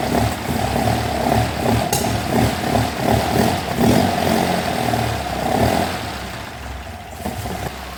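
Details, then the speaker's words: Classic Alfa Romeo GTV 2000, first start after head gasket replacement and rebuilt carbs: catches and runs lumpy cold idle swelling and sagging slightly, then settles; normal, not yet warm. "Nice. Now it's not warm, so it's probably going to cut out, but we're good."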